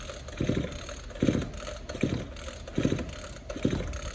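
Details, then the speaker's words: Two-stroke hedge trimmer, rope pulled with two fingers: light, quick pulls about one a second with no resistance or compression chug; the engine is burnt up, burnt piston, no compression, yet it still runs. "No resistance. But the crazy thing is, I can just pull the rope and tell the engine is burnt up."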